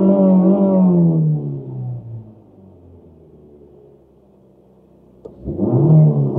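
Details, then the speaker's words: 1990 Toyota Corolla 4WD estate, parked 16 years, driving around a field soon after revival: engine stutters, loses power and sags toward stalling, then recovers and revs; cause not identified. "Oh, she's trying to stall again. Oh, she's stuttering. We've lost power. Oh, we've got nothing."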